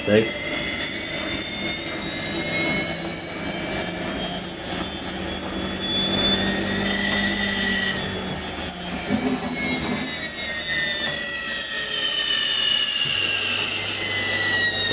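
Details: Zanussi Electrolux Aquacycle 1200 ZWF1221W washing machine ramping into a quick spin to 850 with newly fitted carbon brushes: high squeaky whine climbing and swooping in pitch. The new motor brushes are wearing in and should get quieter.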